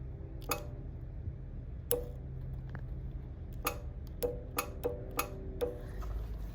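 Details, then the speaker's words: 2005 Honda Jazz with AC not working and low refrigerant, connections jumped to test compressor: sharp, irregular clicks over low engine idle hum as the AC compressor clutch engages and disengages; compressor working. "Okay, so basically if you jump those two connections there, you will hear the compressor coming on and off."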